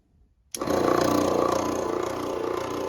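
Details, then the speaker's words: The owner's older airbrush compressor, not the new Gaahleri, running under a card table in a hobby room: it switches on abruptly and settles into a quick, even chatter of about four strokes a second. It is a small piston compressor running normally, with a sound judged not too bad. "too bad, not too bad. Underneath, you know, not a bad sound. I don't have a decibel level thing or anything like that on my phone. I can't really show you that, but that's the sound."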